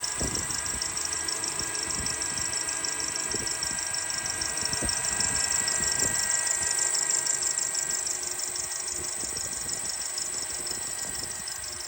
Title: 2007 Honda Accord K24 chirping noise and the diagnosis/fix